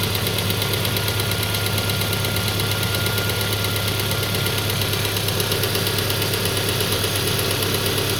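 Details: Peugeot 407 2.2 petrol, cold idle, after new rings, valve lapping, new valve stem seals and cleaning of the auxiliary air channels, Total 9000 5W40 oil: steady, fairly even tapping at about two per second; new cold-start knock, cause unknown.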